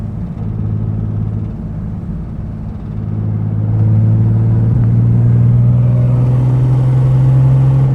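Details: 2005 Ford Mustang under acceleration, noise only occurs when accelerating: deep rumble swells into a droning low note as the engine pulls; owner suspects an exhaust leak, not confirmed.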